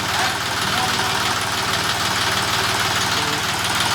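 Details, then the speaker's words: John Deere 5210 4WD tractor with newly replaced engine after old block cracked, first start: steady, slightly rough diesel clatter at even idle; normal, mechanics say it settles after 4–5 hours of run-in. "আওয়াজটা একবার শুনুন। এখন একটু হালকা ঘুম মারবে, 4 ঘন্টা 5 ঘন্টা রাওয়া হওয়ার পর ওটা নিজের পজিশনে চলে আসবে।"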